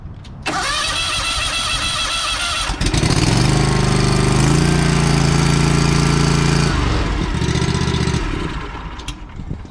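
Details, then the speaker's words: Aerator that would not start, fixed by wiggling the gas tank and adding four ounces of fuel: couple of seconds of cranking, then fires and runs steadily for several seconds before shutdown; good start. "now i did put four ounces in here and it fired right up"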